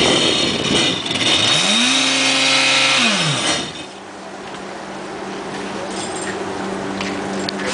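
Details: Kawasaki jet ski with an exhaust leak: harsh, raspy blat through a quick rev, then settling to idle.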